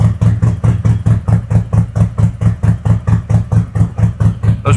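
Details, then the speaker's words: 2021 Harley-Davidson Road Glide 114 after a CR483 cam install with ThunderMax EFI, Trask header, S&S intake and 5.5 injectors; it took on a different tone. Deep, loping, even V-twin idle with a throaty exhaust; the engine runs healthy. "took over a totally different tone. Yeah, it's got a different car."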